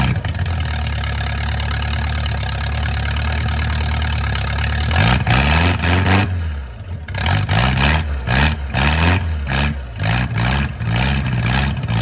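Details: Mercruiser 470 3.7LX marine engine first run after 16 years of storage, a low steady drone settling into an even idle with a few throttle blips, running cleanly.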